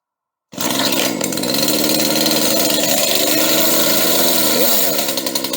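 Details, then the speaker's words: Used chainsaw, cold start after choke and priming, chain brake off: idles with a fast, even, high-pitched buzz, no surging or misses, and the chain holds still at idle; sounds okay. "okay this one sounds okay at idle it's still cold but the blade is holding still"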